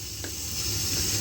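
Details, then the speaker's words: Kinetico water softener, being forced into its first manual regen by advancing the dial dot (meter-disc swap didn't fix it): a click, then a steady high water hiss with no grinding, a normal regeneration cycle. "And we just wind her around. And we'll hear it go. There it goes. So that's our first manual regen."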